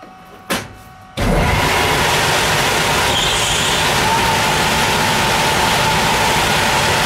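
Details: Air handling unit fan starting with a rush of air and a thin, steady high-pitched whistle at the supply vents; the intake grille was clogged, the filter was dirty, the belts were slack and the motor and fan pulleys misaligned, but the whistle persisted after fixes.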